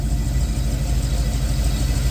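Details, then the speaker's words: Chevy Caprice engine with new ACES fuel injection system, new fuel pump and fuel system, parameters adjusted, after about 30 minutes running: deep steady idle with no ticks, knocks or whines; the earlier noise, usually when rpm falls back, has not returned. "Guess what it ain't doing? It ain't done the noise in 30 minutes."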